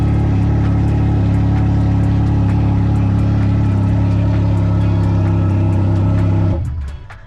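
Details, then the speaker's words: Can-Am motorcycle, apparently the Ryker, with about 8,100 miles, run after sitting unridden for months: smooth, steady low idle hum holding an even note until switched off; sounds really good. "So as you can see, this bad boy sounds really good."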